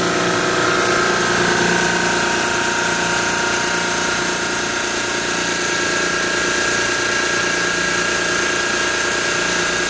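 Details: Carrier reciprocating compressor with old York water-cooled condenser, started with bypass jumpers and now at full speed before pump-down: dense steady drone, even pulsing beat, no knocks, running smoothly.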